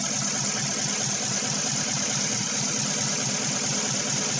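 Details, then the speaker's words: 2016 Chevy Silverado 1500 with 5.3 V8 and code P0300, idle with a regular stumble in the exhaust beat: cylinder 7 still misfiring, none on cylinder 3, coil ruled out, 7 has spark but doesn't fire. "it says cylinder number seven still misfiring well that's because it's probably F and it's not breeding any misfires on cylinder"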